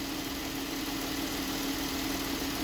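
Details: Engine running after the rattling alternator pulley was replaced with a new pulley, alternator still charging: steady hum with an even tone and no rattle or chatter; alternator pulley sounds healthy.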